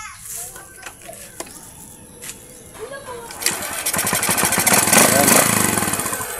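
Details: Honda XRM 125 single-cylinder motorcycle that had been stalling, after a wiring fix: starts on one kick and settles into a steady, even patter; now running normally.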